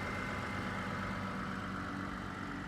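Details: Toyota/Lexus engine after ECM/TCM replaced with a second-hand unit and manually reprogrammed: steady, even idle with a smooth low hum, no knocks, misses or surging; runs clean and healthy.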